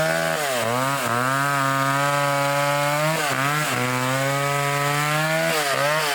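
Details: Revived old vintage foreign two-stroke chainsaw cutting wood: a strong, steady wail sags briefly as the bar bites and recovers quickly. Normal cutting under load.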